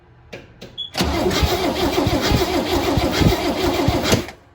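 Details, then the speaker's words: 1970 International Scout, first start in years, cranking after coil replacement: steady starter at about three and a half compressions a second, never catches; still no spark until the cap wires were tightened. "I don't see anything. Try it one more time, please."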